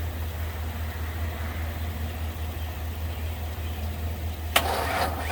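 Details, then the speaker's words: Ford Ranger XLT cranked on jumper cables after transmission and clutch reassembly: slow, uneven cranking for several seconds without catching, then a sudden burst. The battery is too weak, and the firing order was possibly wrong per the manual. "it almost went the second time but uh I think the timing was messed up or not the timing but the firing order so I checked that and it was messed up I think according to the manual and then the battery was just a little too dead"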